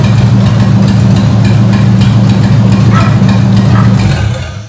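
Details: Ford 8BA flathead V8 (1949–53), bought painted off Marketplace, with a suspected fuel pump diaphragm/top-cap leak: steady, fast idle with an even low rumble held well above normal, then shut off; carburetor suspected.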